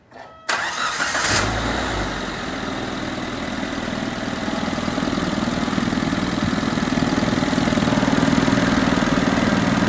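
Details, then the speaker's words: 1987 Suzuki Samurai with '89 Geo Tracker I4 engine after suspected blown head gasket repair: cranks briefly, catches cleanly and settles into a steady, even idle with no knocks or misses; normal start and idle. "Well, I think we'll call this one a wrap. She's running."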